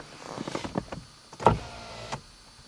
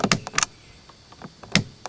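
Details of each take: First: 1991 Mercedes-Benz 420 SEL power window tested with the replaced center console switch: clean, even motor whirs of about a second, stopping crisply with no grinding or binding, so the window works normally. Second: 1991 Mercedes-Benz 420 SEL rear power window switch worked by hand: sharp plasticky clicks in quick pairs, sticky with no firm feel or crisp snap. The switch still works and is to be replaced with a genuine part.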